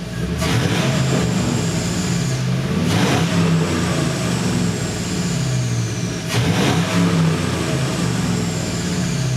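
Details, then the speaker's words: 1960 Chevy Biscayne with LS V8 swap, dual exhaust with quieter turbo mufflers, after coolant and transmission fluid fill: deep V8 burble with three clean rev blips, mellow exhaust note, no knocks or rattles; normal revving. "that dual exhaust now this exhaust is the quieter version I have turbo mufflers on here"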